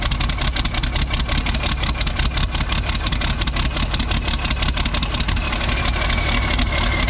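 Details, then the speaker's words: Isuzu cab-over diesel, cold start, straight pipe off the turbo, with the injection pump wiring harness plugged in: harsh, uneven clatter, stumbling and smoking; runs smooth unplugged, misses when plugged in; cause unknown. "Whenever it's unplugged, this thing runs perfect. When it's plugged in, it starts missing"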